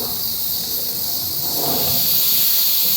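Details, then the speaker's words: Afghan kazan pressure cooker being seasoned with milk, valve venting steam and throwing small oily drips onto the lid; steady, even high-pitched hiss with no sputter or pulsing from a single valve; normal venting. "Поэтому когда клапана срабатывают и капельки водички [музыка] водяной всё-таки здесь масло но вода в ухе только что там процентов и сейчас как бы его смотрю небольшие потёки на крышке масляные выбрасывает"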